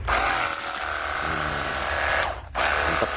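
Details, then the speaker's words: Battery-powered portable jet cleaner pump after repair of a dead unit that only hummed and got hot: strong steady mid-pitched motor buzz under spray, calmer and smoother than before. Normal pump operation. "Nih, kencang ya sampai terbang-terbang sampah-sampan. Oke, seperti itu ya. Siap dipergunakan untuk cuci motor ataupun mobil. [mendengus] dan suaranya lebih kalem ya, lebih halus."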